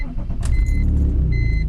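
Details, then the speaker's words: BMW E46 330ci on test drive after installing eBay headers with new gaskets and an angled O2 sensor extender: deep, steady exhaust drone swelling under throttle, no ticks or leaks, a healthy freer-breathing header note. "hear that that is the sound of success"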